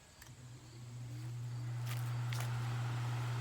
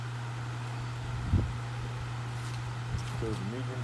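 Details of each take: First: Duracraft pedestal fan from December 1996, a parts fan, on high speed sitting on a stool: it spins up to a steady low hum holding pitch. The hum comes from the stool resonating, not the fan motor. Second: 1996 Duracraft pedestal fan, now a parts fan, dirty from shed storage, on medium speed: low steady hum with even airflow rush, no rattle or scrape. The hum comes from the stool it sits on, not the motor. Normal running.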